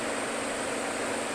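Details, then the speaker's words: Refrigeration system with a continuous airy hiss while the liquid line solenoid is open; the hiss stops when the thermostat is raised to 60 and the solenoid closes. Refrigerant is rushing through the expansion valve, and a low charge is suspected, not confirmed. "so as soon as I turn this thermostat up to 60 my liquid line solenoid closed and the hissing stopped all right turn it back down to my mark there I put that Mark there last time I was here and we can hear the hissing noise again"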